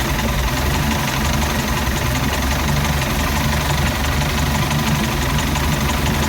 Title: Mercruiser 3.0 rough idle